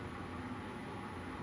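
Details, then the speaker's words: CNC milling machine Y axis moving slowly (25 speed) after loosening over-tightened gibs. An even whir of bearings rotating smoothly, with no click or clunk. "and you can hear now that the only thing the sound that's going on is just the bearings in here rotating pretty smooth"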